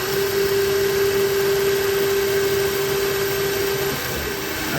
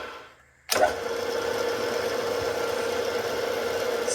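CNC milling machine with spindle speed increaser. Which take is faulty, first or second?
first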